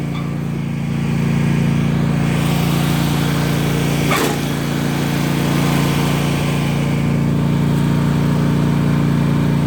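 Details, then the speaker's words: Yard Machines small engine after jumper cables and more battery charging. The starter keeps a steady whirring drone as the engine spins over but never catches; cranks without starting. Owner suspects the starter or a bad battery, possibly out of gas; unconfirmed. "Alright, let's give her another try. Why is it not going?"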